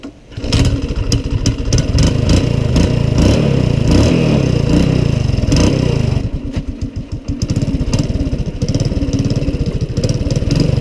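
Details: Honda ATC185 three-wheeler after revival work: single-cylinder fires up, revs freely with crisp even pops, drops to steady regular idle; healthy and running well.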